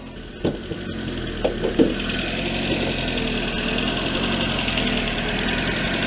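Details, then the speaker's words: 500€ petrol car after a drive from Tampere to Vantaa with a fuel leak and warning lights, warm: uneven loping idle that keeps hunting instead of settling; rough idle, cause unknown. "Mut vielä tota käyntiä niin kuuluu miten se humppaa."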